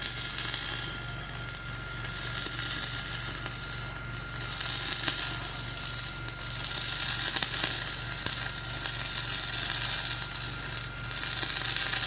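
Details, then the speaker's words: Dual-shield flux-core welding on a preheated outrigger pad, voltage up half a volt, Trailblazer one notch up on rpm: an uneven, spitting crackle with no settled frying rhythm, the arc struggling over a high, ropey stick bead underneath. "Yeah, I don't like the way that's welding. I think really the biggest problem is just going over the like kind of ropey, high and ropey stick weld there."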